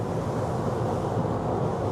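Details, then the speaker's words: AC condensing unit after both disconnect fuses were replaced: only a steady condenser fan rush with no compressor hum underneath. The fan runs but the compressor won't start. "but I don't hear the compressor. That is not good."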